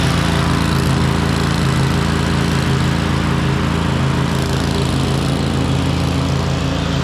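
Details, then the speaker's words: Cub Cadet RZT zero-turn mower with a 54-inch deck, V-twin with a bad compression release, running before the swap to a newer Kohler Courage V-twin. Steady, even fast idle with no knocks or misses; the internal fault is not audible. "Hopefully you can see why it is that I thought this thing was all finished. You know, it runs great, and mowing deck sounds perfect."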